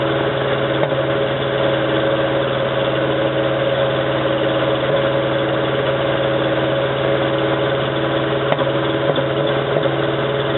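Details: 1987 Toyota 4Runner with a reman engine and high mileage, first start of the morning, after about 3 minutes: uneven stumbling idle running on maybe 2-3 cylinders; a cheap head gasket leaked coolant, cracking the aftermarket head and fouling the plugs.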